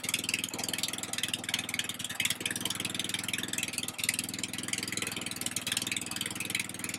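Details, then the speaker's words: Husqvarna RZ30 zero-turn mower with a Briggs 16.5 hp engine, started after a muffler refit. Sharp puffing ticks about four a second over the running note: exhaust still leaks past the muffler gasket. "I still hear a little bit coming right out of here. There you go. So, she still leaked."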